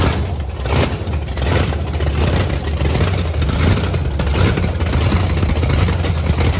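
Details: Blower V8 Camaro on methanol after fuel nozzle cleaning: loud, deep, strong even run with crisp throttle stabs; sounds way better and clean, shortly before running the fuel out.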